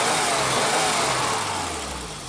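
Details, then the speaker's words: 40-year-old BMW started after fitting a cheap Chinese auxiliary pump that feeds the main fuel pump, straightened to seal: catches and runs steady and even with a smooth rev, no stumble or fuel starvation; runs like new. "I idemo sada da palimo automobil. Motor radi ko nov, drugovi, vide."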